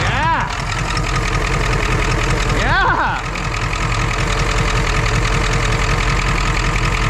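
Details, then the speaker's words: Ford F-550 diesel (grid heater and glow plugs, not used) cold-started in a snowy blizzard on starting fluid: rough cold diesel clatter with an uneven knock riding over it right after firing; knocking on cold start, cause not pinned down. "Cosby sauce engaged. Oh yeah, there's some knocking going on in there."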